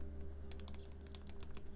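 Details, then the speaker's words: Exclusive E6-V2 keyboard rebuilt with POM plate, Kailh NK Creams 62g switches lubed with Tribosys 3204 and broken in, screw-in EPBT stabilizers lubed with 205g0: sharp crisp clacks on each keypress, no buzzing or lingering rattle; loud but rattle-free stabilizers. "they've broken in so they actually feel really smooth but they don't have that like heavy freshly lubed sort of feeling and sounds of it which is kind of nice a lot of clack but I don't care if there's no rattle"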